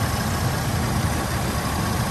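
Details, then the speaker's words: 1985 Oldsmobile Cutlass Supreme with A/C compressor engaged after new alternator and compressor belts: steady idle, no flapping or chirp; earlier noise was the slack old belt, not compressor bearings. "Yeah, it was making a noise when I cut that compressor on from that belt. Yeah. It was flapping and stuff. Now it sounds good with the compressor on."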